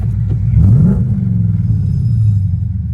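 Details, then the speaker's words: Mustang with QA1 and spring upgrades, newly running on MS3 engine management being street-tuned: quick throttle blip rises smoothly and drops straight back to a low, even rumbling return idle without hunting or stumbling; good idle and tip-in. "And we got a good idle right now. It's just a return idle. The tip in is actually pretty good, too."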